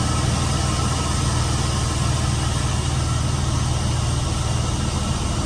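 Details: Chevy van with 4.8 V8 idling just after water pump replacement and coolant refill, run to circulate coolant: low, even burble stays smooth and steady with no knock, tick or squeal; normal idle.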